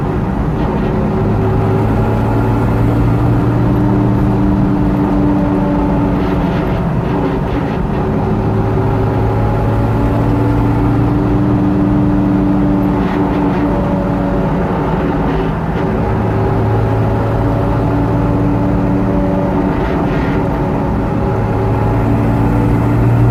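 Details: Jeep TJ rear differential: a low droning whine with a grinding edge that rises and falls with road speed. Cause was significant play in the pinion yoke, fixed by swapping in a used Dana 44 axle.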